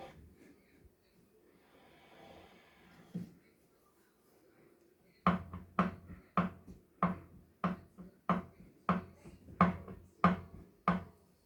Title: Kickr bike knocking sound